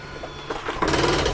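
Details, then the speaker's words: Jayco Jayfeather X23B travel trailer slide-out extending: a short motor whir and gear rattle rising, then stopping within a couple of seconds as the slide seats itself. Normal slide-out operation. "And done. That noise is okay. If you only hear it for a couple seconds, it's just the slide setting itself."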